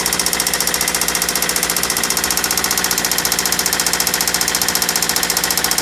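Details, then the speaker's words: Toyota Celica with newly installed JDM replacement engine knocking badly at idle on startup, worse than the previous engine: sharp, steady ticking knock about three per second; told it might be carbon buildup on cylinder tops, cause unconfirmed. "we tried to start it the engine was knocking just extremely bad sound is so horrible even worse than the the last one that i had"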